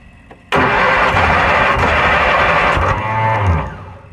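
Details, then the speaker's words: Kohler Magnum 20 engine on a Wizard mower, first start attempt after repairs, jumped on 12 volts: loud cranking, starter rises into a whine and disengages before catching; owner suspects broken starter magnets. "You know, when you hear that starter going meow and it disengages, that's because them magnets are broken."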